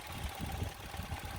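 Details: 1999 Ford Laser after repair of erratic idle (was bouncing 1000–1500 rpm), debris like a grass seed cleaned from idle speed control valve: low, even steady idle, no hunting or surging; normal.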